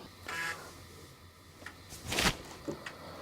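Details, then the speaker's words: Home-built Commodore 1581 floppy drive formatting via a 1541 diagnostics cartridge: quiet, irregular dry clicks over faint hum as the head steps; normal formatting, though the program then hung with the drive spinning. "So now it's doing a proper formatting, and yeah, I can hear it clicking away, so it is formatting."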